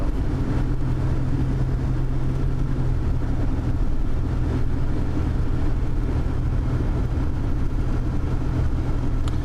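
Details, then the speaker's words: 1993 Buick Century, 3.3 L V6 with 3-speed TH125C automatic, test drive after torque converter clutch solenoid replacement for stalling when stopping: smooth, even low drone, no surging, stumbling or clunks. Finding: normal running. "I hope this yay works it works it works it works long as I don't have any leaks I'll be in the clear"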